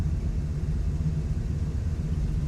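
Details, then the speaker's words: 1967 Chevrolet Caprice after sitting 17 years, running very rich and needing a tune-up, timing set and carburetor work. Deep, lumpy V8 burble at idle, firing steadily with no misses or knocks. "Sounds good. Smells good. It's running really rich."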